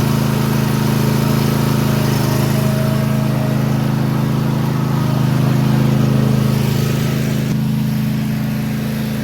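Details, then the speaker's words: Toro TimeCutter mower with Kawasaki FR691V engine, after replacing parts to cure skipping, popping and misfire that began once warm or under load. Steady, even drone about three beats a second with no pops; run to warm up to confirm the fix. Normal running. "we're going to let it sit out there and run and get warm again to make sure that we got it fixed"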